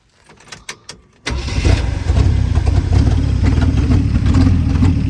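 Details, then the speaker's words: 1973 Jeep J2000 4WD, inline six, 3-speed, after fuel line moved from tank vent to outlet and fuel reaches carburetor: starter cranks, engine catches into lumpy uneven stumbling idle, better but not 100%. "still ain't running 100% but it's definitely better than it"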